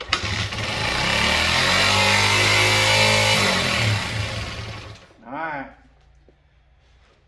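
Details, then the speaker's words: Honda XR80 (or 90) small motorcycle with new throttle cable, revving high on startup; engine revs up high and holds, then slowly sags and dies with no steady low idle — high idle, cause under investigation. "like the gentleman said she uh she revs on a high heel when you uh started up"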